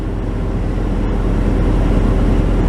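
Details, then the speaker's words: 1996 Chevy Tahoe, idle already around 1200 rpm, rpm surges when shifting into gear; just reassembled after throttle body/Idle Air Control work: steady even drone sitting noticeably high and creeping up, no hunting, idle worse than before; IAC or TPS suspected, unconfirmed. "how's that it's even worse well that's really"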